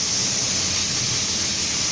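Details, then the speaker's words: Hyundai H-1, 135,513 km, engine idling, AC test after repair (electric fan, drier, compressor clutch bearing, compressor oil replaced): steady even air rush with soft hiss, no rattles or cycling clicks; 8.9 °C vent vs 33.9 °C ambient, normal. "รถHyundaiH1นะครับติดเครื่องเทสการทำงานระบบแอร์หลังจากที่เราซ่อมอ่าเดี๋ยวไปดูครับว่าเราซ่อมอะไรบั่งคันนี้ก็ตอนนี้ในรถเดินเบานะครับ"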